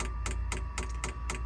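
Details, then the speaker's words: Sunster Chinese diesel heater in a motorhome, pump mounted outside the cab: steady ticks at about four per second over a faint fan hum as the fuel pump kicks in a minute after start and primes the 20-ft-plus fuel line; normal. "and then with a few minutes a minute or so you'll hear the ticking of the fuel pump kicking in"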